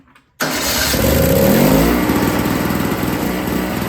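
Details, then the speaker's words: Yard Machines 21-inch single-stage two-stroke snowblower (50:1 mix) that wouldn't start, after reconnecting prime and fuel lines, on partial choke: fires and settles into a quick, even buzzing run with slight pitch rise; running normally. "Whew, 2 strokes. But awesome, it's running."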